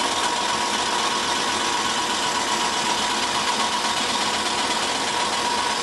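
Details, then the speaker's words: 1991 Ford Crown Victoria at first start-up, idling: a light, fast ticking of about four per second over a hissy exhaust leak; the cooling fan blade is hitting the shroud. "That fan is hitting the shroud, is what that is."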